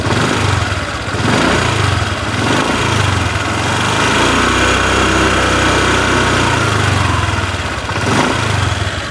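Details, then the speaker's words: Honda New Vario 150 FI (2021-present) scooter, engine hot, throttle worked: the engine revs and settles with a small, light metallic ticking rattle from the central engine over the drone, reported as a rough engine; source unclear. "pada saat mesin dalam kondisi panas terdengar sekali suara ngernya suara menggeliciknya licik licik licik licik seperti itu teman-teman gitu ya"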